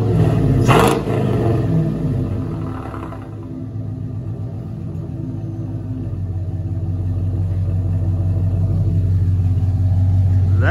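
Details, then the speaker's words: Cadillac Escalade LQ9 6.0 V8 rebuilt with ported 862 heads from a 5.3, dished pistons (10.5:1 compression) and LS6 cam, first start with no water pump or cooling fitted: a quick rev settles into a smooth, lumpy idle with even exhaust beat; normal idle and rev. "that sounds good no trouble to hear that cam it's not a big cam but it does sound good though seems to be running nice not bad at all"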